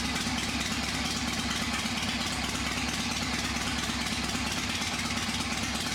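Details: V-twin motorcycle engine not run for a few years, first start after reinstall: fired right up, steady even loping idle about three firings a second, no tapping or knocking, a little smoke from oil; sounds good.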